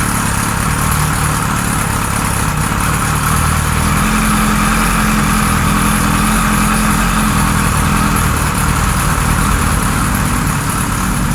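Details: 1978 Kawasaki Z1-R four-cylinder on the stand, first start after carbs installed, idle raised, no enricher: loping uneven idle around three pulses a second; synchronizer shows carbs 1 and 4 good, 2 and 3 off, still behaving weirdly.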